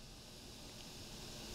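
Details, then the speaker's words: TPA3116 Class D amplifier board at 12 V, standby drawing 30 mA, no music playing, before modification: steady faint output hiss; quite a bit of hiss, may matter depending on speaker efficiency. "to have quite a bit of hiss that may or may not be a problem depending on the efficiency of your speakers"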